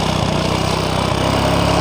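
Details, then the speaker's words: Honda Supra X 125 losing power on climbs; owner suspects clutch bell; engine screams at full throttle without pulling, loud but slow, 60–70 km/h in 2nd gear uphill; high steady drone not climbing: slipping clutch. "Nah di sini pada saat kita gas ini motornya itu tidak langsung jalan ini motornya itu teriak baru jalan kita coba lagi jadi suara motornya Yang kencang tapi larinya pelan"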